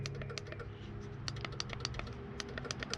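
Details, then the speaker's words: 1975 Chevy stepside diesel truck winch on its new wireless remote. Sharp irregular clicks over a low electrical hum; the relay clicks but the winch motor never runs. Wiring suspected, to be rechecked. "Oh, I hear it clicking. I did wire it according to the directions."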